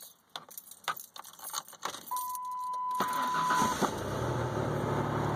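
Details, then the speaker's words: 1997 Ford F150 4.2L after replacing camshaft synchronizer and sensor: keys rattle, short crank, catches at once and settles to smooth even idle with no spit, sputter or squeaky belt; normal start. "Look at that, right up, no spits, sputters, no squeaky belt."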